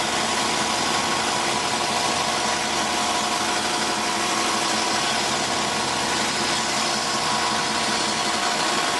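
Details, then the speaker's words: 1991 Ford Crown Victoria on first start after sitting four years, raised on stands: steady scraping over the idle as cooling fan hits the shroud, front end sagging enough to bring shroud against fan. "yeah definitely hitting the Shroud had this problem before the Shroud FS so close against this fan when the car is raised up and sitting on stands the front end sags just enough close t"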